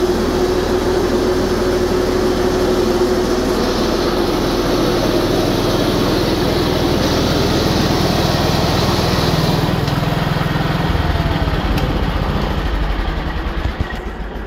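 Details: Simplicity 7112H tractor on a test run after repair of its 42" snowthrower, started with choke: a steady, even engine drone with no knocks or rattles, winding down smoothly at the end; running healthy.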